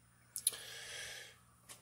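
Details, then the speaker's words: Off-grid remote solar powerplant dump-load mechanical relay, fitted with heatsink, in a quiet room: two quick sharp clicks then one more, relay switches but its terminals pass no power to the dump load resistors; possibly a factory dud, replacement planned. "upon further testing it is the relay is functioning you can hear it clicking but it's not engaging"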